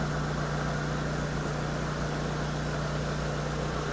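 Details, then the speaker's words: 2010 Hyundai Avega GX, about 109,000 km, idling for the Prestone engine flush before an oil change: steady, even idle with a smooth low hum, no knocks or misses; owner hears it as slightly rough but normal. "Kalau di kita dengarkan suaranya itu agak sedikit ee sedikit kasar sedikit ya. Tapi enggak sih, enggak kasar-kasar ya normal aja."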